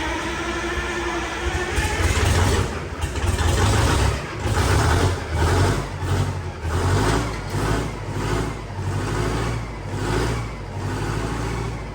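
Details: 8V71 Detroit two-stroke diesel pulled from a bus for a John Deere 5020, first start in the shop with about 11 below outside after bleeding injectors, rack worked by hand: revs surge up and down about every 1.5 seconds; runs sound, 50 psi oil pressure.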